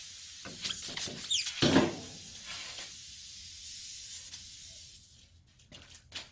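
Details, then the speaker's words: Steady sharp hiss of air escaping from a nail puncture in a tire, over handling clatter, while a reamer tool is worked into the hole before plugging. "okay you can hear a little bit of the air coming out just trying to get it in there now i'm going to go in and out a couple times"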